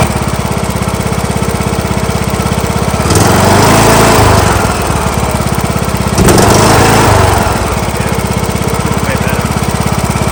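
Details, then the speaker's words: John Deere LA115 with 19.5 hp Briggs & Stratton engine that dies at idle and smokes black; after new spark plug, engine chugs about three beats a second, surging unevenly, rich running from carburetor flooding, suspected bad needle overfilling. "Looks a little rich. Looks like the carburetor flooding itself. Might be the bad needle overfilling the carb."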